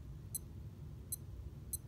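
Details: Casio G-Shock Mudman GW-9500 watch: three short high chirps over quiet room, the normal key-press beep tones heard when pressing buttons such as mode; setting can turn key tones on or off.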